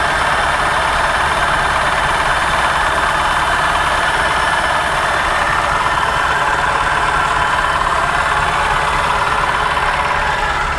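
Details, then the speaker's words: 1965 International Harvester 1200 at salvage auction: loud, constant metallic whirring rattle pulsing three to four times a second at idle, intermittent misfire; suspected pulley issue, possibly not the engine, unconfirmed. Abnormal running noise. "it's got an intermittent misfire definitely an intermittent misfire that noise to me sounds like maybe a pulley is having an issue"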